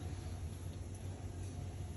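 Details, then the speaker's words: Roper dryer motor gives a steady low electrical hum but the drum won't turn or start; voltage, thermal fuse, door switch and latch check good, motor spins with drum removed, same problem after replacing a part; cause unknown. "it makes this a humming sound but that's it the the issue I don't know what the issue is maybe I bought a new one it's not the same it's the same problem it's just hums and doesn't start"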